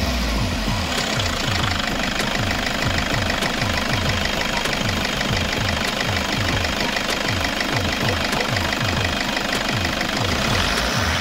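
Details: 2007 Toyota Hiace 2KD-FTV 2.5 diesel after an oil change with Toyota Genuine oil, warm after running a while with temperature gauge low, cylinder head cover refitted: steady even clatter near three beats a second, no odd knocks; normal healthy running.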